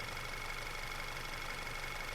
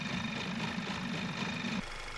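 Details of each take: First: 2010 Audi A5 2.0 TFSI petrol (CDNB), which had rough idle, smoke and power loss, idling smoothly and evenly with no timing chain rattle or knocking. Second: 2010 Audi A5 2.0 TFSI petrol (CDNB engine) with rough idle, smoke from engine bay and lack of power: busy metallic chatter over the uneven idle from worn timing chains; fixed by replacing all three timing chains and the camshaft bridge valve.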